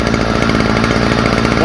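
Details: Stihl FS45 two-stroke trimmer after fitting a new replacement carburetor: steady, even high-pitched buzz with no stumbling or surging. Runs cleanly.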